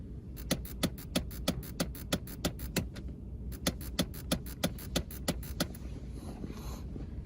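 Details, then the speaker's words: Nissan (Armada/Titan) clicking behind the dash when changing air-conditioner settings: sharp, even clicks about three per second, pause, more clicking; failing HVAC blend door actuator. "if you're watching this video you likely have a nissan that is making a clicking noise when you change something on the air conditioner this is actually an actuator blend door that you're hearing"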